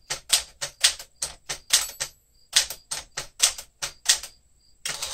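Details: 1967 Sears Tower Citation typewriter, elite typeface, typed fast: crisp, irregular key strikes with clean clacks and a brief margin bell ring; bell working, mechanism sounds healthy.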